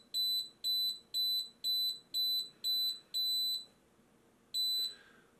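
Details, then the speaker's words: Xtool laser fire safety kit after level-2 alarm: shrill beeps about two per second then long pause, rhythm slowing as alarm winds down after flame goes out. "Et progressivement elle va redescendre, on entend le rythme qui ralentit."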